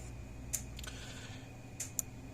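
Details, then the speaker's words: Power Wizard PW500 electric fence charger, about half-joule output, pulsing with quiet, sharp, healthy ticks over a low room hum; charger clicks normally, output just over 7000 volts. "it sounds healthy it's clicking like it's supposed to these aren't very loud used to start with and um they uh and and it's nice click from it like it's supposed to"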